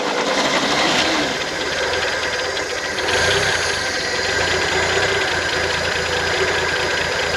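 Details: 1971 International Harvester 1110 pickup, AMC 232 six, 4-speed, on its first start after sitting, with a rebuilt carburetor and timing not yet set. Fast, steady idle with busy mechanical clatter and no misses; running fine.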